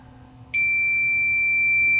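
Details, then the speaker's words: Leak Delta 75 receiver, checking the output transistors for shorts: base-to-emitter measures okay, but the meter holds a steady unbroken continuity beep across the other junction; this output transistor is shorted. "definitely this transistor is shorted here it shorted emitter is it emitter to"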